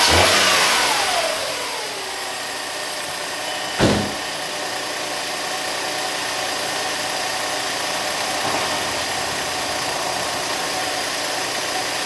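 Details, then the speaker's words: SEAT Ibiza after engine refit, cold start with a bit of throttle: catches, then steady even idle with a smooth hum, no knocks or misses; engine sounds healthy. "So I'm just going to start this now from cold and let's see how we get on. Need a bit of throttle."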